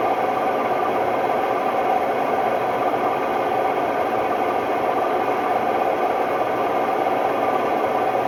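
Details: Hotpoint Ultima WMD960 washing machine on a test spin, extremely noisy: loud, even roar through the whole spin with no let-up, consistent with worn drum bearings.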